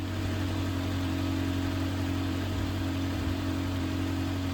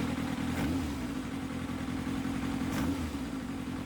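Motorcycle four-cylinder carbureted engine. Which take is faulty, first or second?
second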